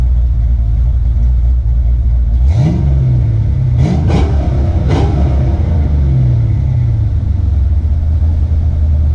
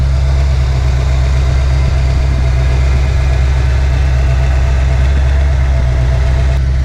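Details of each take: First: Ford Foxbody Mustang with BBK headers, just back from a shop after H-pipe exhaust leaks were fixed; deep, airy, not-obnoxious exhaust with a few quick blips rising and settling smoothly, no ticking or puffing, exhaust now sealed; normal exhaust note. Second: Ford Foxbody Mustang with BBK headers, just back from a shop after H-pipe exhaust leaks were fixed; steady even low rumble at constant speed but sitting a touch fast, owner says it wants to idle a little high today; high idle.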